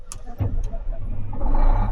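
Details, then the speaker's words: Caterpillar 18M3 motor grader after a temporary steering cylinder repair (suspected mud buildup on the front axle cylinder): the diesel cranks, catches and settles into a steady low rumble with no steering fault warning beeps, so the steering fault has cleared. "That annoying beep beep is gone. No steering fault anymore, which is good."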